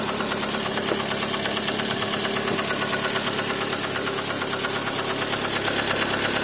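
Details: Lada Kalina engine running with a regular light knock about three times a second over the idle; internal engine knock, cause unclear.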